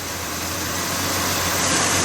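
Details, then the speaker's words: Budget turbo 250, revived and running about 7 minutes while warming up: steady, even idle with smooth hum and hiss on top, no knocking or ticking; normal idle. "It's been like 7 minutes now. Sounds pretty happy sitting here. I'm gonna let it warm up a bit."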